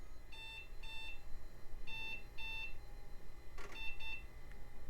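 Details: 1990s Compaq desktop at power-on test as the hard drive spins up and it posts: short high beeps in quick pairs repeat over a quiet room; the BIOS is flagging setup errors such as the unset date and time.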